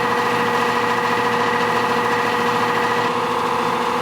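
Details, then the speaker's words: Nordyne AC condenser unit, fan sprayed with water: loud steady droning hum with wavering tone, no loose fan or shroud parts; the wet 2-blade fan resonated, cured by replacing with a 3-blade fan. "I've inspected the fan, and the fan itself seems to have no loose parts, nor does the shroud around it. The noise simply happens when it's wet, goes away when it's dry."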